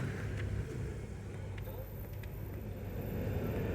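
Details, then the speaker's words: 2010 Honda Odyssey HVAC blower motor that stayed on constantly (code 1241): steady even air rush with low hum, no rattle or surging, all speeds work and it now switches off; normal blower operation. "you hear it so now all the speed working on the fan so when i turn this off it's off again activate the fan"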